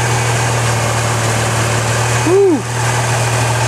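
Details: 1997 Ford Escort 2.0 SOHC four-cylinder idling after a timing belt replacement: even, steady low drone with no misses, ticks or knocks, "purring like a kitten"; normal, healthy idle after a successful job.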